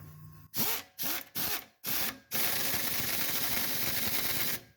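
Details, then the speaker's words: Air impact ratchet with swivel adapter, first use, snugging fasteners during a 2005 Hyundai Santa Fe fuel pump job; hammering bursts then a steady rattling impact over clean air hiss, working normally though not very powerful. "You guys can hear it impacting. That's pretty sweet. It doesn't have a lot of power, but it doesn't need a lot of power for, you know, what it's for."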